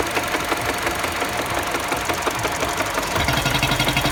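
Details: Mini Cooper engine at a busy idle with a rapid, sharp ticking knock about three per second that grows more pronounced near the end. Engine knocking at idle, source not pinned down.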